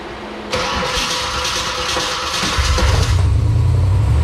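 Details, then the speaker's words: Freshly wired Holley Terminator X EFI, handheld-only setup, idle control not yet set: cranks, catches and settles into a loud, lumpy, stumbling idle; runs rough, tune suspected. "okay well it starts doesn't sound very good though maybe it's just in the tune"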